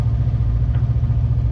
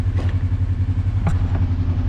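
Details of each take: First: Kawasaki KRX 1000 with high idle and shifting problems, during throttle position sensor adjustment: steady fast idle with even low drone at about 1,700-1,800 rpm, too high; TPS out of adjustment. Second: Kawasaki KRX 1000 after rotating the throttle position sensor to fix high idle: steady even low idle with smooth pulse and a couple of light clicks; idle right where it should be, shifting perfect again, normal idle.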